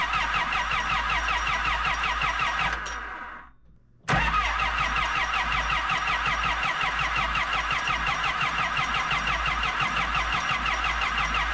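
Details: Kobelco SK120LC Mark V excavator diesel, about 7,000 hours, after refitting the thermostat housing gasket: engine fades out, then fires straight up and settles into a steady, even idle with no misses; normal start and idle.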